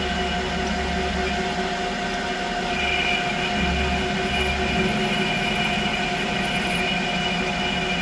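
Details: Creworks 8x16 lathe after a carriage play adjustment, cutting a test pass. Steady even motor hum with a light whine and no chatter, knock or rattle; normal running, and the carriage is more rigid than before.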